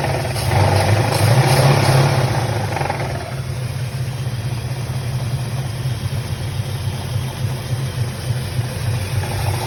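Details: 1966 Chevelle 396 V8 running: rough rhythmic knock of about three beats a second under its low rumble.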